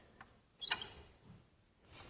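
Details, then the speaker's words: 2013 Chevy Sonic 1.8L radiator cooling fan, removed and spun slowly by hand before replacement: a short, dry creak and scrape from the worn, failing fan motor. "And this is what a bad fan spins like and sounds like."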